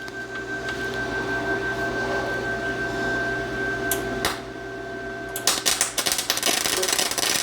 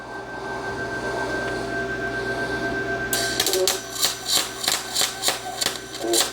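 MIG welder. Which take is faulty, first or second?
first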